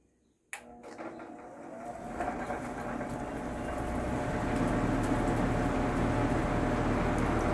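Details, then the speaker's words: Vintage Sears Homart Cooler belt-drive window fan, 1/6 HP Craftsman motor, started on high before cleaning: switch click, then rough hum and whir building over seconds with faint steady rhythm; owner thinks motor could use lubrication and belt probably needs replacing. "of course that motor probably could stand to be lubricated"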